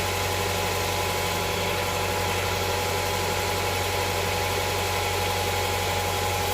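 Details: Honda Prelude SH after oil cooler/adapter gasket replacement (head gasket done earlier), oil filter refitted, started to check for leaks: steady, even idle with constant hum, no knocks, ticks or stumbles; no leak seen after about ten minutes running.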